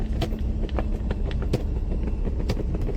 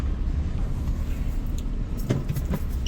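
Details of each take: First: Maruti Alto 800 driven on rough off-road surface: irregular plastic clatter and ticking following bumps, not engine speed, from loose dashboard screws; wheel bearing also worn. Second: 2012 Maruti Alto 800 driven after major service: low, even road rumble with only a faint tick or two from the cabin; dashboard noise from two loose bolts now gone, car runs quiet.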